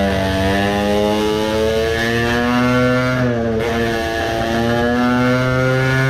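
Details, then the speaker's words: Tuned two-stroke moped engine after carburetor modification: buzzy uneven stumbling revs, sputtering a lot in neutral, suspected richer fuelling, feeling like suffocating on pulls; cause suspected, not confirmed. "I think it clearly had some difference. it sputtered a lot on neutral that tells that it gets more fuel now, like I suspected it should do"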